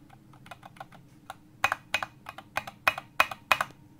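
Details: Mechanical keyboard space bar, compared with a bar that rattles: crisp, uneven keystroke clicks and solid space bar presses with no buzz or tinny rattle wherever it is pressed; well-stabilized, healthy.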